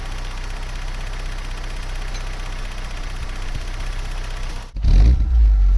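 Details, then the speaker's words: Vauxhall Cavalier GL, 1.8 litre SRi 130 top end, GTE gearbox, 45,000 miles, road test after injectors refitted: smooth, even pull with steady low drone, no stumbles or pops while accelerating; engine running clean and strong. "You see with this GTE gearbox, it's pretty quick ratioed, but fifth is really long geared, so that will cruise really well on the motorway."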